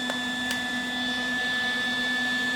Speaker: okay so this video is about how to fix this whistling that annoying high-pitched noise that you can hear on a Lincoln 180 amp welder MIG welder so as you can hear this is unbearable this is horrible and it's coming from